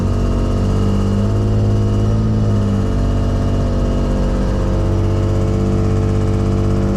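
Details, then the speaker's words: Turbocharged 1982 Mazda HB 929 series 1 skid car, first start after paddock rescue: uneven, lumpy idle with irregular stumbles under loud exhaust, misfiring; owner suspects water in the turbo or on a core, unconfirmed. "I think I got some water in the turbo. It's not loving life at the moment. Or water on a core back or something."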